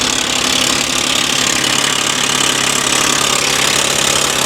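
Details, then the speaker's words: 2008 Ford Mustang convertible bought from an auction, idling: fast, light, fairly even ticking, two or three a second. It is full of oil; the owner suspects low oil pressure to the top end, possibly an accessory pulley, unclear. "it's full of oil so we know that it's not a lack of oil but it sounds like maybe a lack of oil pressure getting to the top end of th"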